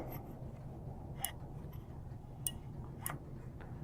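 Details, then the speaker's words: Snapmaker linear module pushed by hand along lead-screw-driven aluminum extrusion: a few small sharp clicks at end of travel over quiet room hum; built-in end stop switch tripping normally. "it looks like it has an end stop built into it to hear that clicking"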